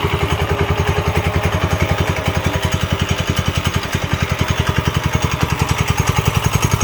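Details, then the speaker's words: Late-1960s Heathkit Boonie Bike with a newer Subaru-type clone engine (about 5 hp, 170 cc) idles steadily at about three and a half beats a second after a fuel-flow fix; clean, smooth, normal idle. "okay there we go all right let's see what happens now that's how a clone is supposed to sound"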